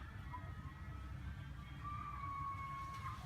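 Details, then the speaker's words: BMW E87 1 Series during radiator bleed procedure: a thin high whine shifting pitch over low engine-bay rumble as the electric coolant pump clicks and cycles, running normally. "yes so if you hear that high-pitched whine there's no movement here but that's the sound of the electric pump it's clicking and cycling and doing different things"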